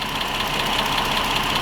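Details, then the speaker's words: 2019 Dodge Durango GT 3.6 V6 idle: sharp rapid lifter ticking from one bank over uneven misfiring beat, worsening; fixed with intake camshaft, lifters, rockers and oil pump. "you hear that? It's ticking real good. So, you can see it's misfiring way more than ever."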